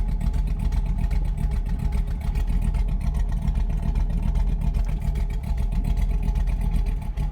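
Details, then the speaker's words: Truck with LS engine after a cam swap, idle tuned with HP Tuners, shifted into gear with a 600 rpm target: slow, lumpy idle chugging close to stalling; idle speed set too low. "so it's calling for 600 I see steps are still in that and that sounds too slow play it's barely"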